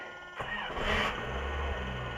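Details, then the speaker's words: Honda ("SuperHonda") started via NOCO GB40 jump starter in battery-boost override at about 11 volts, clutch in, choke reset: brief cranking whir, then engine catches and settles into steady low idle; clean normal start. "So clutch in, reset the choke."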